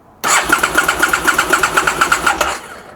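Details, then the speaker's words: 2002 Aprilia SL1000 Falco V-twin, 3,500 miles, sitting 21 years, cold, jump booster better connected. Steady cranking chug about four beats a second, no firing; fuel pump not running, owner suspects fuel pump problem: cranks but won't start. "Right, it's turning over. Let's try this again. I'm not getting nothing from the fuel pump. Nothing at all. At least the engine is turning over."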